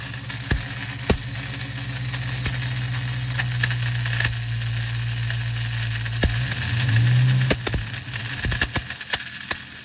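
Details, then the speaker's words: Ford Mustang Bullitt idling, belt removed, clutch inspection plate off, throwout bearing ruled out: harsh metallic whir and hiss with sharp irregular clicks, suspected to be the starter drive not fully disengaging and dragging on the flywheel. "finally we checked the starter and it definitely sounded like it was coming from the starter so our idea was the starter was probably not fully disengaging and"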